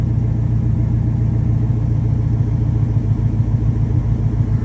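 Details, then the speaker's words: 1973 Ford F100 XLT Ranger with swapped Gen 3 Coyote V8, custom headers and Borla exhaust: deep, even burble with steady low rumble, no knocks or misses; healthy normal idle with throaty exhaust. "and that's that gen 3 gen 3 coyote and it sounds absolutely fantastic with those custom headers and borla exhaust on it"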